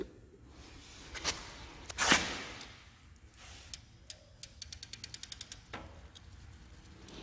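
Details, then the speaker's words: Old Schwinn bike after cleaning and restoration; light freewheel ticking and crisp gear-change clicks shifting through all gears, no grinding or chain chatter, much quieter than before; quiet drivetrain. "wow it's so much quieter than before I tell you guys so much better now"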